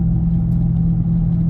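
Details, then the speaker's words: Driving test: loud, steady low droning rumble, apparently right front wheel bearing, louder drifting left and lighter drifting or turning right; worn wheel bearing. "Anyway, I don't know if you can hear that noise too. That's the wheel bearing. Sounds like it's right front. It's pretty loud."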